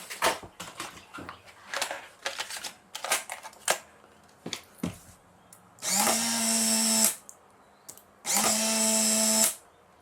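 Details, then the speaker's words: Polaroid SX-70 Model 2 after motor refurbishing, cycled with a test film pack: two clean, even one-second motor runs with steady hum and crisp stop, a normal, healthy film-eject cycle. "that sounds great doesn't it"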